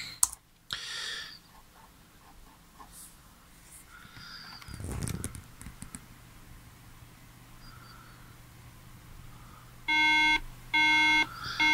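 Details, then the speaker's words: MacBook Pro booted from a retail Mac OS X Snow Leopard install DVD gives three loud, even startup beeps after quiet drive noises, rejecting the disc as the wrong OS X version for this machine. "we get three beeps now the reason for the being the three beeps is because the version of Snow Leopard that you've put into the drive or the version of OS X that you put into the drive is is wrong"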